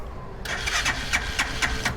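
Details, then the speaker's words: Used 200cc three-wheeler, hand start; catches quickly and easily and settles into a quick, even putter with no rattle or misfire, running smooth. "ฟังเสียงเครื่องครับสตาร์ทมือติดง่ายครับเครื่องนิ่ม"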